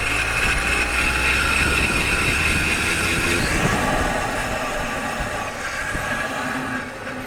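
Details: Car driving with microphone installed: harsh metallic grinding and scraping squeal while rolling and braking; brake pads worn down to metal, damaging the disc.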